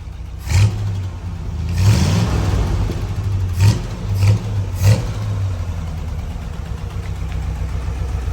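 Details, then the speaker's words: 1964 Chevy Corvette C2 327 small-block after new Edelbrock carburetor and homemade intake gasket fixing massive vacuum leak: low even rumble, crisp throttle blips settling cleanly, starts instantly; normal running. "You know, we got a new carburetor. Starts instantly now. It's fired up."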